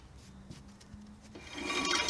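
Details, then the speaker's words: Ford XT Falcon after new brake lines, calipers and pads: a quiet start, then a bright, gritty scrape and light clinking from a small pebble caught in the brake assembly, which the owner hopes will work its way out. "There's a little bloody pebble caught down in here. You can probably hear it rattling. Hopefully it'll wear away and work its way out."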